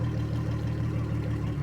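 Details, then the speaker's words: 2003 Yamaha 225 four-stroke outboard on water flush, low compression on two cylinders noted earlier: steady even low pulse idling at 750 rpm per live data, no knocks or misses; normal idle. "So, we're at 750 RPM, right? So, we know that that's functioning."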